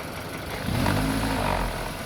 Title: VW GOLF MK 5 1.6 FSI LIFTER NOISE SLIGHT TOP END RATTLE